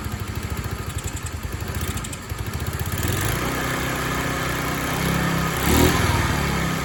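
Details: TaoTao 50 Chinese scooter, a discarded machine being revived, small two-stroke sputters and pops unevenly, surging and sagging, kept alive only by throttle blips; throttle linkage and carburetor not yet dialed in, so rough running that stalls without throttle.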